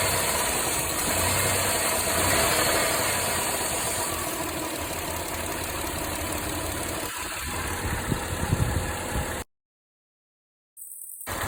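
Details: Mitsubishi Montero Sport with 6G72 engine at quiet idle: uneven rattle and tapping that comes and goes, more frequent as revs rise; oil pressure present and stable, no smoke; owner suspects hydraulic lifter, piston pin or bearing, cause unconfirmed.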